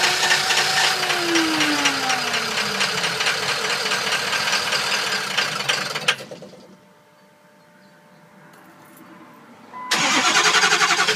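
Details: 2005 Ford 6.0 Powerstroke box truck, ScanGauge II monitoring ICP, IPR and FICM: cranks and catches with a rising whir, runs rough a few seconds, then dies; ICP builds enough to start but won't keep running.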